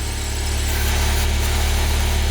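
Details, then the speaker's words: Car engine idling warm after treating the oil-contaminated, squealing serpentine belt and pulleys: steady, even idle with a smooth low hum and no chirp or squeal from the belt; belt noise gone. "声音有没有？没有了，对不对？"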